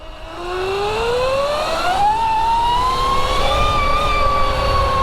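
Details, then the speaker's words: Loud whine from a 72V Sur Ron electric bike after a primary chain drive conversion replacing the belt drive, climbing in pitch with speed then holding high; chain dry as a bone, louder than expected, almost deafening. "That's actually almost deafening. My I feel like my ears are ringing a little bit."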